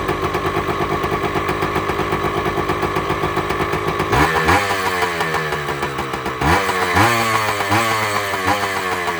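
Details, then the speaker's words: Two-stroke motorbike, just after its first cold start following right-side engine gasket work: crisp ring-ding idle, then two clean blips that rise and fall quickly without bogging or misfiring. Healthy, well-tuned. "Purring like a kitten, baby. The sweet sound of a 2-stroke. Listen to that. That is all there, guys. All there."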